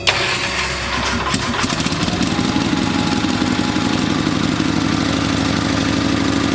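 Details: Old Onan engine after new points and condenser, started at half throttle: catches after a few rough coughs, then settles into a steady, even mid-pitched run with no misfires, no arcing at points; carburettor still needs fine-tuning.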